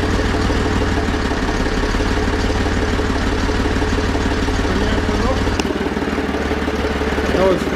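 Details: Zetor 4911 tractor diesel, stored since 2012 (engine renovated before storage), restarted with strong battery, core plug at back of head temporarily fitted: steady even-beat idle clatter, slight change partway; idling fine.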